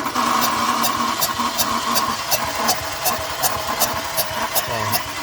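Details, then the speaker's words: Renault Clio 1.0 16v, weak engine, cylinder-by-cylinder compression test: sharp rhythmic air puffs about three a second as cylinder compression leaks; the head gasket is blown between cylinders 3 and 4. "está vendo escrever o barulho que faz isso aqui a junta desse cabeçote aqui ela quebrou entre o Sininho três e o Sininho do quatro"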